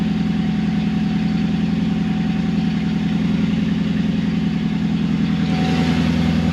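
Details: Mercedes C55 AMG V8, first cold start after intake manifold install: deep uneven loping idle about two or three beats a second; rough idle because the MAP sensor was left unplugged.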